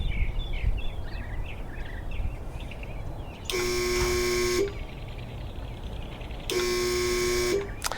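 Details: Irrigation well pump, first use after winter, before repair: two one-second bursts of loud steady electrical hum with no spin-up; motor stalls on start, traced to a failed start capacitor.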